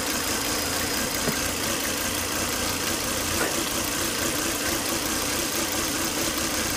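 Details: Volvo S80 2.5T at steady idle with a faint, unchanging high hiss-whine; high intake vacuum sucked air at the oil cap, the whine came after 10–20 minutes running, and was solved by replacing the failed crankcase breather box/filter.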